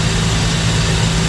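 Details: Carbureted car idling after the air bleeds were adjusted by ear. Deep, even idle with a steady low rumble and no stumble or miss; the engine runs smoothly.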